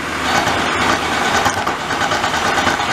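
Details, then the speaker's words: Light test turning cut on a lathe in an unknown steel after changing to a new insert, with feed on; even steady hiss with no chatter or squeal, a normal clean cut. "I'm just taking a light cut to see how things are going to look."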